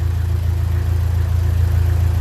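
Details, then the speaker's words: 1957 Ferguson 35 TVO tractor, cold start after pushrod problem fixed: deep, even, fast steady idle beat with no skips, rattles or tapping; runs sweetly, a happy engine. "it really sounds good in there it like I said at the end of the last video but it stays making that sort of Music it sounds like a very Happy Engine"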